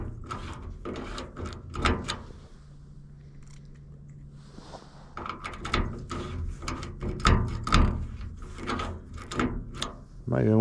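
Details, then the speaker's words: Machine linkage that froze overnight after snow meltwater got in, being oiled: short dry squeaks and clicks in uneven bursts as the stiff mechanism is worked; squeak from frozen mechanism. "Got water in it when it thawed out. And when the temperature dropped last night, everything froze up. That thing squirts it in there pretty good. Hear that squeaking."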